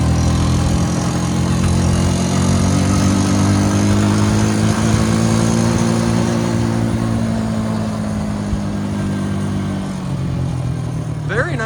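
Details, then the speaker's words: Rebuilt 2002 Honda Rancher 350 ATV on a ride: quiet, steady single-cylinder hum holding, then easing down in pitch as it rolls off, no rattle or knock; normal running. "and quiet. This motor's mint. Starts right up."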